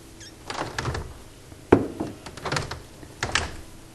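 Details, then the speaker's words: Window after lubricating hardware and hinges with hybrid silicone grease: soft latch clicks and dull thuds as it opens, the former terrible squeak gone. "открываем окно и как видите ужасный скрип устранился и все это благодаря силиконовой смазке июне с"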